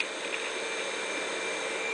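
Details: Electro-Craft permanent-magnet servo motor on 24 volts, tachometer reading around 3,400–3,500 rpm. Smooth, steady high-pitched whir, even pitch, no rubbing or clicks; spinning freely: normal running.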